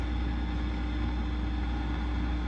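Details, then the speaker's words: Fender Rumble 25 bass amp with nothing plugged in and all controls down: steady low buzzing hum with faint hiss and crackle, fault not yet found. "I turned everything down and let's turn it on and see what it's doing so we got some major hiss and hum coming through"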